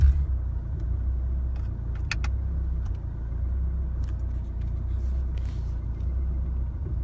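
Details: 2016 Chevrolet Colorado 2.8L diesel idling in drive with a deep lumpy rumble that pulses and wavers, after a highway drive; idle settles to normal after shifting to park and back into drive.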